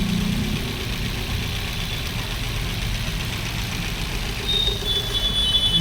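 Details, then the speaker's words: Maruti Swift BS6 with CNG fitted, idling: uneven, stumbling thump from a severe misfire; the check engine light had come on and the ABS light is also on. "यह missing miss fire की problem है दोस्तों और इसके अंदर chuckle भी आया हुआ था"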